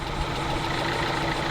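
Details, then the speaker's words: Kia Soul after replacing camshaft and crankshaft sensors for codes P0014/P0016: idle still carries a loud, harsh metallic clatter throughout, problem persisting. "that's how it was sounding real bad but it sounds like yeah we're still having an issue"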